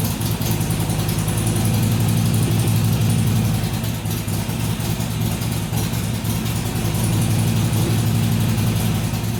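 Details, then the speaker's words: Harley-Davidson XR1200 V-twin on a cold start, idle settings reset to stock: the idle hunts, settling near 1000 rpm then surging to 1500 every 5–6 s; over-rev is reduced after fixing a leaking throttle, but the surge's cause is unknown. "it would settle down to about a thousand RPM then it would go up to 1500 drop back down and go up drop back down I don't know why it does that"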